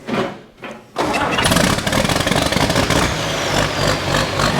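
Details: Farm diesel started after refitting the kill lever on the inside of the injection pump, to test the shutoff. Brief cranking, then it catches within a second and runs steadily and evenly; the kill lever stops the engine though it isn't perfectly adjusted.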